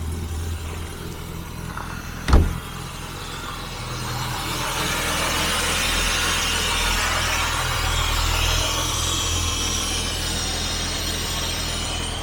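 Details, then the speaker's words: 1966 Jaguar S-Type 3.8 manual overdrive, cold start on choke with a little throttle: even, steady cold idle with soft continuous hiss from the cold-start device and no stumbling; cold-start system working. "I think that wasn't really bad at all we have a nice even idle I can hear the hisser"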